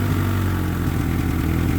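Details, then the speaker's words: Honda EK with swapped engine at idle: steady low rumble with an uneven, lumpy beat. Fuel pressure sits about 28–38, codes show misfires on all four cylinders; rough running from low fuel pressure. "Little sputtery on startup and you can hear it's still sputtering, but go over here to the gauge and we're at about what is that like 38 or 28 to 30ish."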